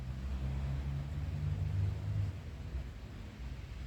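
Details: Kia Sportage 2.7 with P0301/P0303/P0305 misfire codes and surging, after a new timing belt and tensioner and with codes cleared: smooth deep rumble holding steady, then easing down evenly with no stumble or surge; running cleanly.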